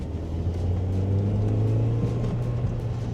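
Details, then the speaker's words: Toyota Auris with a Valvematic fault (P1047, U011B) after the connector was checked, codes cleared and the system reset with no parts replaced: engine builds smoothly and pulls cleanly without hesitation; full power restored. "Pulling away like a good one. We've got full power back."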